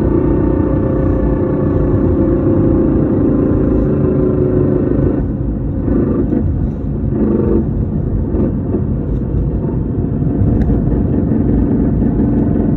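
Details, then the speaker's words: 2014 Whipple-supercharged Ford Mustang, MT82 Getrag 6-speed manual, 37,000 miles, Barton short-throw shifter: loud constant droning whine over road rumble on acceleration and deceleration, none with clutch in, no grinding; failing gearbox. "2014 MT82. Massive whine. Barton short throw shifter. Massive whine."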